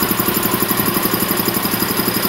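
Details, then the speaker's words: Champion VR5-8 80-gallon vertical air compressor, Craigslist unit fixed up, oil changed a couple of times: even rapid chuffing with no knocks or rattles, pump running smoothly and healthy. "basically that's the setup it's been running great changed oil a couple times no problems at all"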